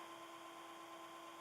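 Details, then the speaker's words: Fan for an original iMac case conversion (old laptop inside), running at full speed on its current voltage alongside two other fans: steady high whine over airy hiss, ridiculously loud; owner needs a better way to power the fans. "but good God this fan is loud so to give you an idea of how loud this fan is you can hear it now right both these other fans running that they're full speeds at this voltage and it's that loud it's ridiculous"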